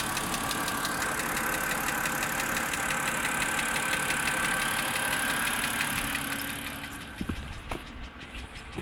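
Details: Car engine restarted on a chilly, cloudy day: sharp, regular tick about three times a second at idle; rises with throttle, owner thinks mechanical, disappears after 15-20 minutes; cause unknown.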